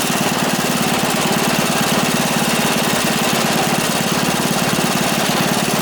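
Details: Free, previously non-running single-cylinder small engine with bent rod and repeatedly welded pulley, after adding gas: quick even popping, three to four beats a second, running smoothly with no misses.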